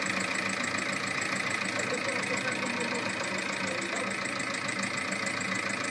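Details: VAG 1.9 TDI 105 hp diesel at idle; sharp rapid metallic ticking about three per second over the diesel clatter, from a defective hydraulic lifter.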